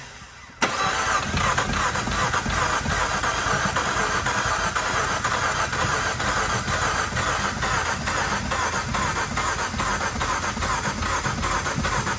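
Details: 2015 Fiat Abarth 5-speed towed in after driving through a large puddle, water ingestion via turbo suspected: fast steady cranking on a high-amperage jump box for over ten seconds never fires; suspected dead cylinder or water in combustion chamber.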